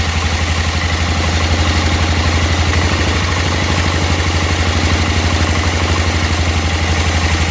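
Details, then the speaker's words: 1988 Club Car golf cart, 8.5 hp Kawasaki barn find, homemade exhaust, idle still to be lowered: loud, steady low thump about four beats a second with no misses; normal idle. "sounds pretty good if we drop the idle down more than that which we will um we'll need to set that again"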